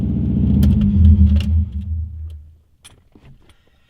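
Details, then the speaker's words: Subaru WRX, exhaust only a 3-inch downpipe ending under the car, completely straight-piped: raw booming unmuffled low rumble on startup for two seconds, extremely loud. "the exhaust ends right there under the car completely straight piped and it is the loudest car you ever heard"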